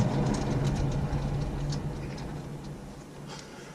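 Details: Honda CR-V RD1, car jacked up and wheel spun by hand to find the noisy hub bearing: low droning hum with light rhythmic tick fading as the wheel slows; suspected worn hub bearing, to be replaced.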